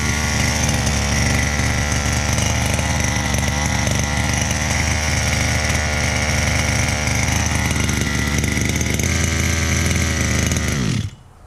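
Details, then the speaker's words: Chung Yang 23cc two-stroke RC engine, customer's no-start unit, fixed and run outside its chassis, warming at idle: steady, even burble for about eleven seconds, then clean shutdown; healthy but rich, carburetor needs refurbishment or replacement. "up just let it idle nice and warm and then I know that this thing will make the customer happy"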